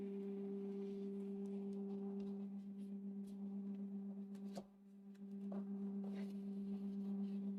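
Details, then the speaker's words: New Creality K1C 3D printer at first power-up, resonance calibration running: steady, loud pure hum at fixed pitch with a fainter higher tone, not following movement; loud startup calibration hum. "it's very noisy I don't understand why it's so noisy"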